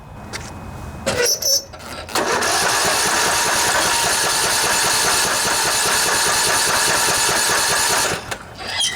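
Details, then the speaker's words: Poulan Pro riding mower, Briggs & Stratton Intek 19.5 hp: steady even starter churn for about six seconds with no catch, pop or sputter; cranks but won't start. "I tried it, turns over and over and over, doesn't even sputter or anything."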